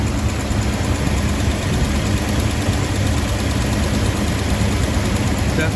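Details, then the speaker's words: 1975 International D150 idling after fuel pump replacement and carburetor rebuild, fed from a small gas can, only alternator belts on: deep, steady, even low rumble, no obvious valve-train ticking; sounds healthy, exhaust clean. "Definitivamente suena saludable, eso es seguro."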